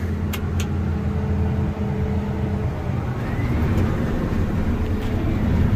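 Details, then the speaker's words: Combine harvester restarted after fixing a failed sensor, separator run with doors open to listen for strange noises: steady even drone, tailings moving, dust out the back, no knocks or rattles; running normally, fixed. "our tailings there it's going down means it's running we got dust out the back i don't hear any strange noises"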